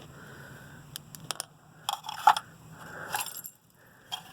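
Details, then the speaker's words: Gas package unit on a no-heat call, pressure switch not closing and little airflow at the vent: loose metallic clicks and scraping crunches inside a quiet unit. Broken inducer wheel pieces are rattling in the housing. "Did you hear that? That's metal. That kind of looks like what used to be our inducer wheel."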